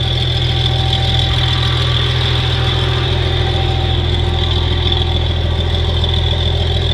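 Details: 1963 Farmall 706 gas tractor, just bought, runs after a loose gear was found inside the timing cover: started with a little throttle, steady even low idle firing about 3.5 beats per second, no knocks. Normal idle.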